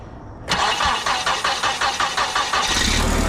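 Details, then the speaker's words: Propane-fuelled mini forklift engine, after fixing the propane blocking the intake and the throttle linkage, battery at 12.2 V: about two seconds of quick, even cranking, then it fires right up and runs steadily on the first try. "Woo! Fired right up, man. That's what I'm talking about."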